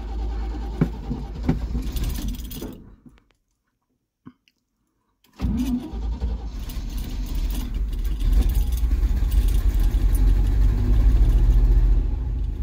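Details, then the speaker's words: 1974 Chevy C30 wrecker, 350 V8, sat about five years, started on a low jump pack with fuel poured down the carb: cranking, pause, then catches into a steady even rumble rising smoothly; running fine. "yes that sounds good gonna have to put a little bit of gas down here sometime but she's running she is running guys"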